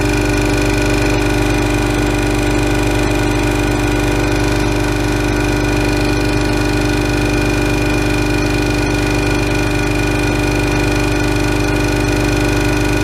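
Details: Ingersoll Rand 5 hp single-stage twin-cylinder 60-gallon air compressor, filling from about 50 psi tank pressure: even, steady pumping thump about three times a second over constant motor hum, no knock or squeal; normal running.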